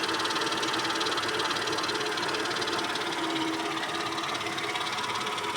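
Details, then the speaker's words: Mercedes ML320 at low idle after starting: fast dry rustling chatter, about three to four pulses a second, not a knock. It disappears when revved and returns at idle; source unknown. "ML320. На малых оборотах. Вот это шорох."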